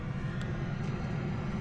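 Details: Planar Autoterm 2kW diesel heater newly installed in ambulance, first run after priming fuel system: steady even low drone like a distant airplane, no misfires, rattles or smoke, burning clean; normal running.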